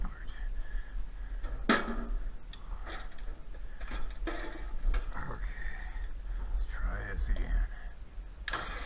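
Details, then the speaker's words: 1966 John Deere 4020 diesel tractor with newly installed injection pump, injectors bled and fuel reaching all of them: starter cranks in uneven bursts but it never catches. Pump timing found 180 degrees out at the TDC mark. "I think I found the problem right there's the TDC mark and uh right there's the uh injection pump marks timing marks they're lined up that's uh 180 degrees out that's why it's not running"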